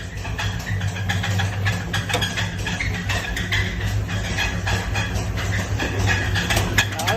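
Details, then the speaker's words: 2006 Trailblazer SS with swapped LS3 V8 and hot cam, after thrown serpentine belt: irregular metallic knocking about three to four per second from the bottom end over lumpy cammed idle; suspected spun rod bearing. "Now, the issue, like I was saying, this motor is making a knocking noise, I believe, from the bottom end. Maybe it's spun a rod bearing."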